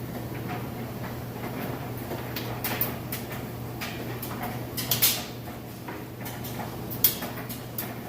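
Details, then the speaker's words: Whirlpool electric dryer drying a large load transferred from the washer. A quiet, steady motor hum with the occasional soft thud of the load tumbling; an even, healthy, smooth run. "And it sounds great. Nice smooth operation."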